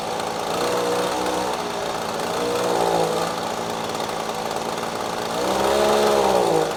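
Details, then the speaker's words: Echo PB-250LN handheld two-stroke blower after fresh fuel and carburetor adjusting screw turned left: picks up cleanly on each throttle blip, pitch rising and falling smoothly without bogging; repair successful. "Oh all right I think that was a ticket changing out the fluid then exposing that little adjusting screw getting it adjusted just right looks like it's working just fine"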